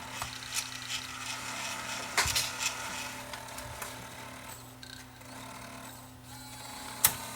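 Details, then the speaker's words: Panasonic S-VHS-C camcorder, drum motor running in playback: thin steady whir with gritty high-pitched rattle and ticks, whole camera vibrating; worn drum motor bearing, tape won't eject, no parts available, deemed unrepairable. "yeah that's got a bad bearing you can hear it you can hear that racket"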